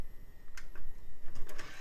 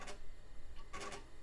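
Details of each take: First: CD drive works great good old Tac must be those HP specifications that work Second: Faint, coarse scratchy ticking in short clusters as the floppy drive heads seek in a Compaq DeskPro 2000 booting Windows 98, before the floppy drive was repaired; the drive sounds rough.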